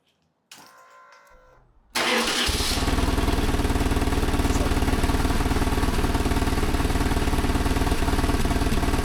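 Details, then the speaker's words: BMW GS motorcycle, already warmed up, started after a service with compression test, valve clearance adjustment and new spark plugs. The starter spins briefly, it catches at once and settles into a steady, even idle. Runs much better than before; normal start and idle. "Okay, so she runs well, much better than before."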